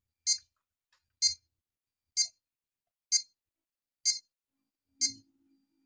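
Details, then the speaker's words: Crown Nexia digital scale whose battery won't hold charge: short high-pitched low-battery beeps about once a second persist after half an hour of charging, voltage not rising; weak battery suspected. "pengukuran Di sini masih masih belum naik hasilnya masih saja berbunyi dan voltase tidak naik"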